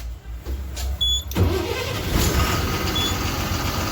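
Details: Ashok Leyland H-series 24 V RTC bus with no check engine or EDC light, after starter motor and wiring repair: starter turns briefly, diesel catches cleanly into steady even idle; normal start.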